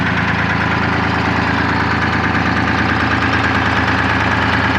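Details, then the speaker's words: 1975 International Loadstar 1850 with Detroit 6V53 two-stroke diesel, just revived after loose fuel lines and empty tank, idling: steady even idle, regular beat about three per second, no misses; earlier smoke clearing, runs better the more it runs. "i ain't even worried about it the more i run it the better it runs"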